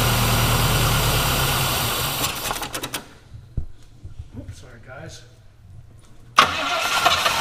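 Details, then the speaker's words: Old engine sitting for years: runs unevenly, dies, then catches again with a sudden bark; hard starting and rough running, suspected blown carburetor diaphragm or just finicky from sitting. "well sounds like might have float issues or something oh that's right no floats now all diaphragms be a blown diaphragm or it could just be its finicky it's been sitting for years"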